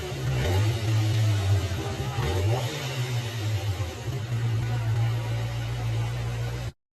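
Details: QJMOTOR SRK 600 inline-four after rebuild (had knocked from scored camshaft, worn rod bearings; cylinder head swapped), in echoing shop: steady idle with small throttle blips, smooth and even; normal running.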